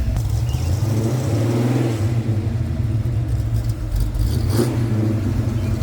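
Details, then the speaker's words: 1989 Ford Mustang with a 351 Windsor V8 after idling a while, not yet 180°, oil pressure just over 50, AFR about 13.2–13.5: deep, steady, even V8 burble with no tapping or misfire; normal warm idle. "All right, we've had it idling for a while."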